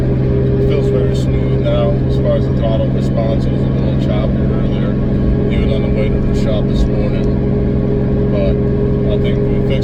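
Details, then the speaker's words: 2003 Nissan 350Z with 2JZ swap, fourth gear around 55 mph after a misfire fix: steady drone under light load with no skips, stumbles or pops; no backfiring seen, everything normal and fixed; smooth cruise, no misfire. "the car seems to be doing great everything's normal I didn't see any backfiring so I say we did a good job everything's fixed now"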